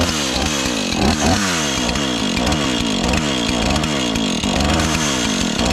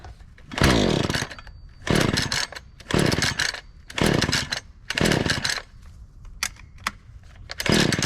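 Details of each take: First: Husqvarna 435 X-Torq chainsaw, reassembled after freeing a stuck chain brake, holds a steady high two-stroke buzz without dying or surging, finally staying on after being run a bit; running properly. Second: Lightly used Husqvarna 435 X-Torq chainsaw on a cold start with choke, fuel in the primer looking a little dark: repeated pull-cord bursts about once a second that sputter and never catch; a no-start, possibly from the old fuel, which is then dumped.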